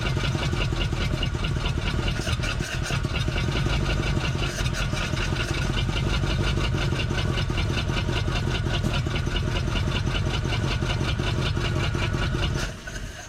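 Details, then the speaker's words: 1947 Ford Coupe flathead V8, unrun for about 15 years, held wide open: uneven lumpy pulsing instead of a smooth roar, coughing back, then dies; stuck intake valve on a cylinder, running on reduced cylinders. "So you see how I was coughing back? Clearly we got an intake valve stuck on one of these cylinders, and that's why I didn't pick up."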